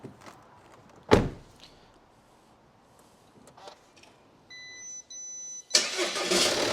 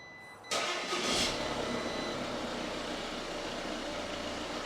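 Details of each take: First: 2019 Audi Q5 diesel with crash damage and a seized engine, replaced by one with the same engine code, first start on a booster: starter cranks, beep, fires straight up and runs briefly then cuts out on residual fuel, fuel system unprimed. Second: 2019 Audi Q5 diesel, crash-damaged salvage car with a seized engine, restarted after repair: quick crank, fires at once with a brief flare, then a smooth steady idle with no knocks; normal.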